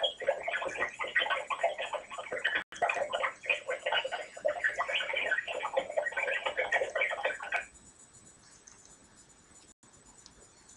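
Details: iPhone 3G on iOS 4.1 during a call, heard on both sides of the line, about 3/4 of calls made or received: choppy gargling crackle in the voice band for about eight seconds, then abrupt cutoff; call audio interference noise.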